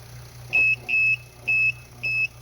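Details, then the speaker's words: Inverter under a heavy startup load: high beeps in short bursts, about two a second, over a faint hum as the output cuts in and out, from overload protection tripping. "wow that's got some good safeties too that's surprising i didn't know uh how like it turns on and off on and off"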